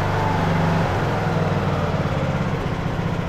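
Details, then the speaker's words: Craftsman LT2000 riding mower, almost 20 years old, after new carburetor fitted, choke on, temporary air filter: single-cylinder engine holds a steady even low thrum, no pops or misses; running smoothly, idle may need slight adjustment. "hear it now it's running running great may have to adjust the idle a little bit"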